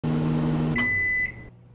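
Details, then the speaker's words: Steady low hum of a running microwave, then cutoff and one high beep: the transformer stepping up 60 Hz mains vibrates its parts through its magnetic field, peaking twice a cycle for a 120 Hz hum; normal operation. "the reason why they both hum when a transformer is turned on it steps up the normal 60 Hertz of power causing transformative vibrate and make a magnetic field"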